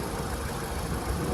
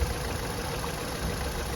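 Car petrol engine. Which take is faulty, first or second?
second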